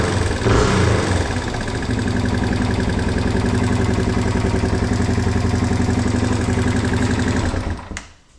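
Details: 1987 Yamaha TW200 single-cylinder started without choke after no-start repair with new petcock: steady, slightly uneven idle after a few revs, no fuel leaking from the float valve; idle and mixture screw may need adjusting.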